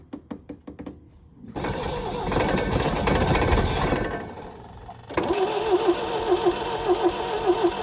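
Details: 1974 MGB roadster parked 30 years, new points, rotor and plugs: cranks, catches after a pause, then runs lumpy with uneven clacking pulses near two per second; clacking quieter than before, maybe fuel now reaching carbs, still running rough, oil pumping out of dipstick tube.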